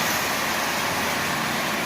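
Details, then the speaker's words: Marx 1938 Commodore Vanderbilt locomotive pulling a consist: one smooth continuous rumble with no individual clatters or knocks from the cars, meaning the consist runs evenly and in unison. "when you have a consistent running well it produces one continuous noise there's no individual noises coming from the cars that you can hear it just produces this Rumble as you hear and you can tell a consiste is running well by how it sounds"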